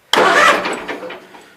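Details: 20-G lawn tractor after its burned, corroded ignition switch was replaced: the small petrol engine catches at once with a sharp burst, then settles quickly in a clean, normal start.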